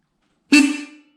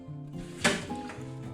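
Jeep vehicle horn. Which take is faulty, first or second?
second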